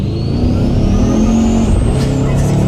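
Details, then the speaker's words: 2015 Chevy Silverado with an Armageddon twin-turbo kit, driving under full throttle. A high whistle climbs steadily over the loud engine roar, then drops off on the downshift; the driver calls it a mystery whistle, but it is normal turbo spool. "I'm not really sure what that whistle is. This is a twin-turbo 2015 Silverado."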